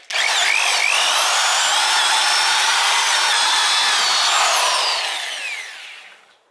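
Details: Bosch mains-powered hammer drill, about 25–30 years old, after repair and reassembly: spins up to a clean, steady high whine without sparking crackle or grinding, then coasts down smoothly; motor running healthy.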